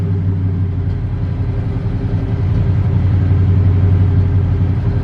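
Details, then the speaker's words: Square-body truck V8, idle air control valve not yet set and engine still needing tuning: deep burble at idle with an uneven, lumpy beat instead of a smooth tick-over; rough idle. "This one, the idle air control valve is still not set. It's not happy, so we need to get that squared away."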